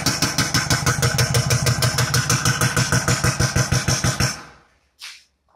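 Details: Kia Sportage 2.0 CRDi diesel running with a heavy, regular knock about three times a second before shutting off; the knock did not change when injectors were disabled.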